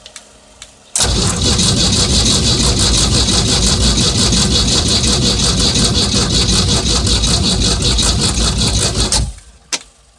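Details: 1975 MerCruiser 3.0 boat engine, sat about 2 years, before oil and filter change: about eight seconds of steady starter cranking near three beats a second, never fires; cranks but won't start.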